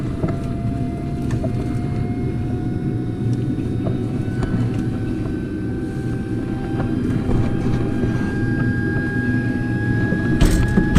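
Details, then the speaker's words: Carrier Infinity furnace in pressure switch fault: inducer hums with a slowly rising whine while irregular ticks and rattles of debris fall down the flue; birds in the flue pipe were blocking the exhaust. "sounds like stuff's coming down this pipe so let me see what I can do here"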